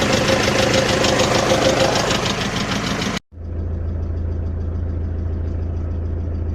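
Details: OM601 2.3 diesel at idle with a sharp, regular knock on the clatter, steady at idle speed; an engine knock, source unknown.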